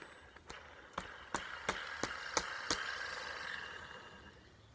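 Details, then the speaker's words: 2015 Honda Accord with a month-long supercharger-like whine at idle and under acceleration; the removed belt tensioner pulley, spun by hand, gives a dry rough rasp with regular ticks. A new pulley is silent, confirming a worn tensioner pulley bearing. "hopefully you guys are able to hear that sounds like the bearing is making a lot of noise"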